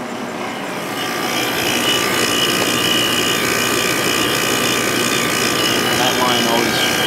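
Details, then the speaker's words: 1997 Sharp 8500 BTU window air conditioner, compressor running a few minutes after start-up on high then low fan, about 4.6–5.4 A and 450–600 W; steady high metallic ringing over compressor hum and fan rush, which it always does shortly after start-up. "The compressor has quieted down a little bit and it's making that ringing noise that it always does shortly after start up."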